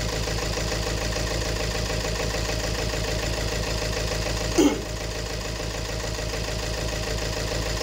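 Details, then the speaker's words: 2018 Peugeot 3008 diesel that became noisy: rough idle with rhythmic knock; scan shows injector one impulse reading 1.17 versus about 0.78 on the other three, fuel system problem, combustion fault on cylinder one. "yung injector number one ang merong problemas kasi yung tatlo almost magkakaparehas sila"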